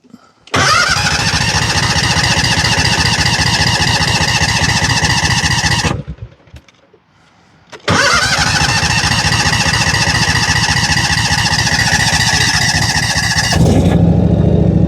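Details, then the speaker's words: John Deere 757 Z-Track zero-turn with new starter, hard to start with stiff choke: catches after long cranking, runs loud but uneven with a skipping beat, cuts out, restarts rough; fuel starvation from a restricted line. "It is really hard to start. When it does start, it's skipping. That's not good."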